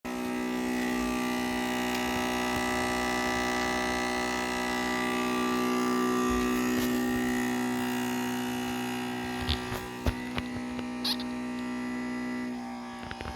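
A steady loud electrical buzz with a clear tone and overtones runs unchanged throughout; the PC is buzzing, cause undetermined.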